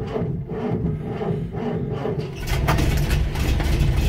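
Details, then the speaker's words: Land Rover Series IIa with mechanical fuel pump, on a very cold day after rewiring/ignition checks; labored cranking then catches and runs rough and uneven – hard cold start, owner blames the cold and wants a warm-up test. "because it's cold. I think really it needs to go for a good old test and warm up."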